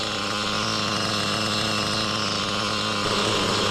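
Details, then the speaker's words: Used Reds R5T Team Edition RC nitro engine, after the clutch was checked and the clutch bell changed: steady high-speed scream with a harsh airy hiss over the note; owner thinks it's the rear bearing, not the clutch: hissing noise. "Well, sadly, still making the hissing noise. I think it's the rear bearing, so yeah, I have to change the rear bearing. It's not the clutch."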